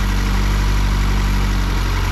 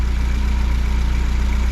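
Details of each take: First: Fiat 124 Spider 2000 on the bad partially working ignition coil, carb unadjusted, idle held high and lumpy with uneven beat and stumbles; needed idle screw at 1100 rpm to keep running, backfired through carb. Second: Fiat 124 Spider 2000 idling evenly near 800 rpm, timing 10 degrees, vacuum advance disconnected; regular low pulse with no misses; old coil had kept it from idling below 1100 rpm.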